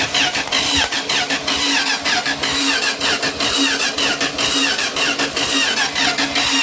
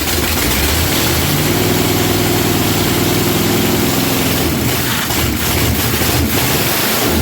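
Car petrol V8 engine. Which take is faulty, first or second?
first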